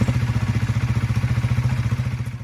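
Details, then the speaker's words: Honda CBR 125 started cold after a service (oil, spark plug, air filter), with a flat battery and a known charging fault: steady even beat of about fifteen pulses a second, slightly lumpy from cold. It is running cleanly. "but we'll just start it up make sure everything's good after the we've done the service there we go a little bit cold a little good"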